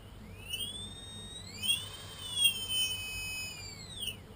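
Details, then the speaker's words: Tarot 4006 drone motor, suspected non-genuine: high thin whine sweeping up and settling as it spins up, loudest around 40-50% hover throttle; owner suspects bad bearings, not confirmed. "Probably these are bad bearings, friction here, sound."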